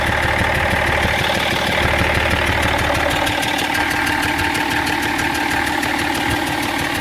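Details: BMW E46 330d diesel at idle: sharp, regular tick about three times a second over the idle, source not found by any mechanic; abnormal ticking noise at idle.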